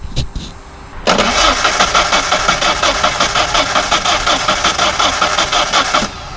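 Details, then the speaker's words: Ford Ranger project truck, after fuel pump relay wiring work, relay clicking, low fuel pressure found: starter spins engine at steady even beat for about five seconds but it never fires; crank no start, fuel delivery suspected. "I'm thinking we will have to indeed"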